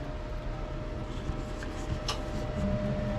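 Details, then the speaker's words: 2021 Jayco Jay Flight 224 BH camper gas furnace, de-winterizing check: steady blower hum with a faint tone, then a sharp tick as the burner lights; a normal fan-first start. "We'll test the heater. Got it on furnace. Can hear it kicking on. So, it runs the fan first and then it'll"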